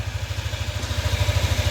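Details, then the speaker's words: Yamaha NMAX V2 scooter after repair of a crushed cam bearing that caused a cricket-like chirp, plus radiator hose, thermostat and water pump work: small even ticks at idle, no chirp or rattle; quiet, healthy idle. "Tahimik na. Hindi tulad kanina kuliglig."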